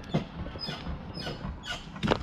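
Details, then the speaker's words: BMW car during a long road trip loaded with luggage: irregular rubbery squeaks about every half second as the body moves, from the right side, started since loading; cause unknown, owner fears a shock absorber. "vous voyez comment ça couine et j'ai pas la monnaie de ce que c'est ça a commencé depuis qu'on est parti voilà depuis quand la charger ça couine comme ça là et j'arrive pas à savoir ce que c'est ça vient de la droite ici là mais j'espère que c'est pas mon amortisseur ou quoi qui est en train de se défaire quand même br"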